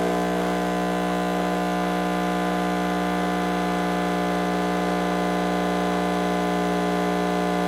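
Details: Home espresso machine brewing a shot, which the owner says has been making weird noises: a steady buzzing pump drone with a faint pulsing flutter; the pump sounds unusual or strained, cause not known.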